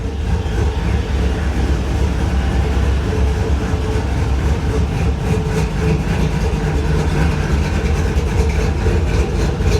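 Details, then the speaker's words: LS V8 swap with VATS deleted, at its first start, with the idle bumped up and oil pressure present, now warmed up. Steady, even low rumble with a slight lope and no knocks or misses. Idles smoothly. "Now that it's warmed up, it sounds pretty good."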